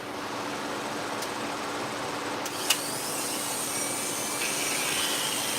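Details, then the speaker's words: Dog-grooming clipper blade: steady high buzz with harsh rattly hiss, very noisy; noisy clipper blade. "Very noisy. Wow."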